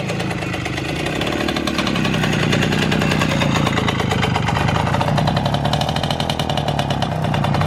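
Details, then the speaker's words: Motorynka two-stroke moped after years of storage, carburettor uncleaned but reasonably set: crackly even idle putter, no stumbles or misses; normal idle. "w miarę ustawiony także na wolnych obrotach się rozwinie chodzi"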